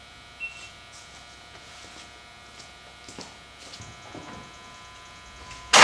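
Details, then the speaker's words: 2003 Cummins common-rail diesel farm truck, new Raptor fuel lift pump, wire jumped to power it: faint, steady electric hum as the lift pump runs; truck suspected of not getting fuel. "so i jumped this wire right here as you can see fuel pump's working now"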